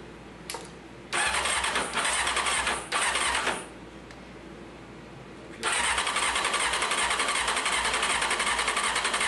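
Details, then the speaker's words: 1995 Honda CBR F3 after sitting, new plugs and oil, fuel poured directly into cylinders, fuel pump untested: short cranking bursts with brief catches and pops, ragged run that won't settle; fuel starvation, not getting gas. "All right. We're not getting no gas. See what we got here."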